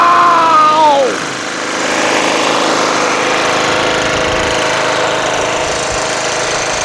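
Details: Toro Wheel Horse 1238XL lawn tractor after carburetor replacement, gas tank cleaning and jumping the solenoid: small single engine starts right up with a brief rising whistle, settles into steady even running; normal.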